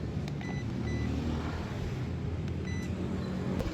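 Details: Yamaha Aerox 155 scooter after error 12 (stator/CKP sensor fault; hard push-start) was reset and stator cleaned: engine idles steadily with a low, even putter and faint short beeps, check-engine light gone; normal idle, though the error sometimes returns.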